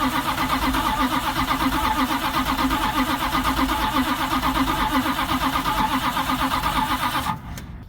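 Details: V8 engine on the car "Jezebel", just freed so it turns over again, fired up: it settles into an even, steady beat with no knocks or misses before shutoff; running fine.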